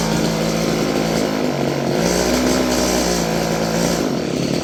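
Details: Stihl FS56 curved-shaft two-stroke string trimmer, about 30 years old: buzzy drone holds modest speed, never reaches high revs unless choked; owner suspects gummed carburetor.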